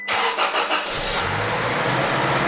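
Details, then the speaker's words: 2006 Toyota Tacoma at 220K miles, first start after new fuel injectors, spark plugs and coil packs, fuel pump primed: brief crank, catches cleanly within a second, settles to smooth even run; healthy start. "The truck seems like it's running good."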